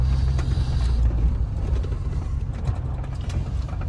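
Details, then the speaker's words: 2006 Chevrolet Silverado, used 5.3L V8 just swapped in, first test drive: low, even drone under road noise with no knocking through throttle changes; temperature good, oil pressure rising with gas. Normal running. "so far so good I don't hear any knocking or any noises temperature's good oil pressure is rising when I give it gas"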